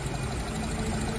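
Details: Nissan Tiida/Versa misfiring with no fault code, injectors and coils under the intake manifold: a low, uneven idle with a lumpy shake and faint knocking under it; injector cut-out testing with a scan tool traces the dead cylinder to number four.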